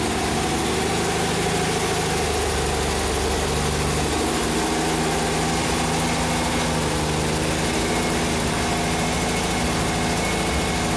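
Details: 47-year-old Porsche 914 with early fuel injection, after no-start diagnosis and cylinder head temperature sensor working: steady, even idle with a smooth low drone and no knocks, misses or hunting; engine running cleanly.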